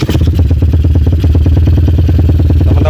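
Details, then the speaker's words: Megapro/CB bored to 240cc single-cylinder with a high-overlap cam head (about 3 mm overlap), PWK 28 carb with 35/120 jets, throttle cable still slightly pulled: loud, choppy, stumbling lumpy idle typical of a high-overlap camshaft. "Suara langsamnya seperti ini teman-teman, karena ini saya tutup biar saya ngomong kedengeran. Ini suara langsamnya putus-putus seperti ini kalau menggunakan overlap tinggi."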